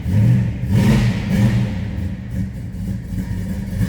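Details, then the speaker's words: 1973 Dodge Charger, 440 V8 with MSD ignition, Holley carb and cam: throaty lopey rumble swelling cleanly on throttle blips and dropping back evenly; normal idle and revving. "Sounds good. 440 rumbling underneath the hood."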